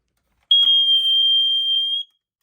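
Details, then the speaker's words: Older First Alert smoke alarm, same as SA76RC, 9-volt battery possibly weak: a single steady high-pitched tone for about a second and a half, apparently set off by the cover leaning on the test button. "now I think the cover is leaning on a test button so you that we got a weak battery one of the two which I wouldn't be surprised"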